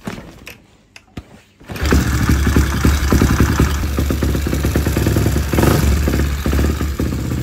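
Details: Motorcycle after plug-and-play CDI socket pin connection and o-ring replacement, fuel tap turned on before start: a few clicks, then it catches and settles into a steady single-cylinder idle with a quick blip; starts and runs fine.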